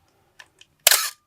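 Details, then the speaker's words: 1981 Canon AE-1 Program fired at 1/1000 s: soft tick then harsh drawn-out rasping burst with faint whine as the slow mirror box runs; dry, unlubricated gears cause the classic cough. Shutter cough. "now a thousandth of a second it's supposed mirror box supposed to go really fast stop a lot of stuff in motion was a thousand of a second so that is pretty slow and you can hear that cough"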